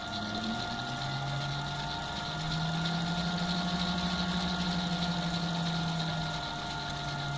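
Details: Myford Super 7 lathe driven by a three-phase 1.5 HP motor on an Altivar 11 inverter, with a tachometer sensor reading the bull wheel: a steady motor hum with a clean whine that lifts slightly and settles, smooth and even, so normal running.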